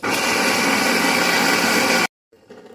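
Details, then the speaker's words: Industrial blender motor after rust and dirt were cleaned and penetrant applied, when before it only trembled without turning: loud steady even whir for about two seconds, then a clean stop. The motor now runs normally. "então apliquei os gripante vim aqui liguei depois ter removido toda a sujeira é claro né e ele funcionou e agora ele está ligando"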